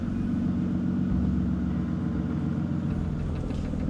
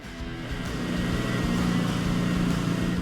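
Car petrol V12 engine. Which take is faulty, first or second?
first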